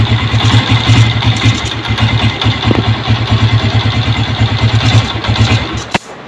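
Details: Honda CG 125 Euro 2 new model starts, then idle stumbles with uneven, lumpy firing and missing, and dies within seconds of releasing the throttle; the cause is an air leak through a cut or cracked intake pipe/rubber.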